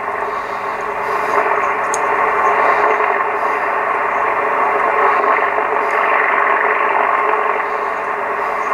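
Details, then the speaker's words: Classic Yaesu FTDX 560 transceiver on 40 metres with antenna connected: even hiss of band noise with faint crackles, no hum or dropouts, peaking with the pre-select; receiver working normally on this band. "Okay, I got the antenna connected to it, 40 meters. And as you can hear, we can peak our noise."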